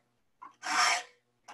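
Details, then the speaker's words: Hand saw sharpening: short raspy file strokes with a thin squeal as the file chatters across the teeth; filing in one direction squeals more than the other, and alternating directions gives sharper teeth. "but you can hear the squeal there if you fall in one direction you get more squeal than you do in the other way"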